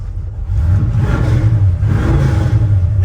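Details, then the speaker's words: 1977 Chevrolet C10 V8: deep, lumpy rumble swelling under throttle with even firing and no knocks or misses. Healthy small block, normal revving. "this thing sounds good. It does."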